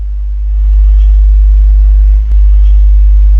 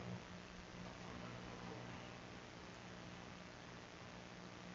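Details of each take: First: Alpine MRP-M1000 car amplifier on the bench: steady low hum at switch-on with no input signal; suspected RCA problem or isolated-ground power supply, not confirmed. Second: Alpine MRP-M1000 mono car audio amplifier after repair, powered on with no signal: only a faint, even hiss with no buzzing, mains hum or interference. The earlier noise is gone and the amplifier idles normally.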